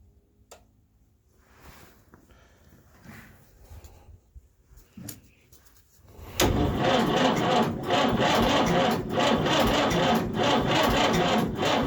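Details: Fordson Power Major diesel tractor, unstarted for at least five years. With a weak battery the starter drags the engine over slowly and it never catches: slow cranking from a weak battery. Two new batteries fixed the cranking.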